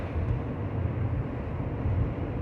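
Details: 2005 Buick LaCrosse, GM 3800 3.8 V6, after new spark plugs and wires fixed an intermittent P0300 misfire, accelerating onto highway: low steady drone pulling smoothly, no miss; previously sluggish to take off, now clean.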